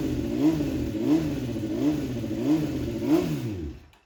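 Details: 2007 Honda CBR600RR fuel-injected sport bike, unrun about 5 years, Juice Box tuner still fitted, first run in shop: five quick throttle blips about every 0.7 s, revs climb and drop cleanly without stumble; healthy revving.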